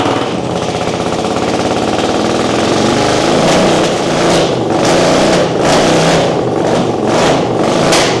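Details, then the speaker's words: 1979 Honda CX500, formerly seized, just started on choke and running off its own fuel tank. Rough, busy engine note with faint pulsing that keeps running without dying. Normal running. "away doing it Craig it's running off the tank we're doing it nice okay we can work with this so far"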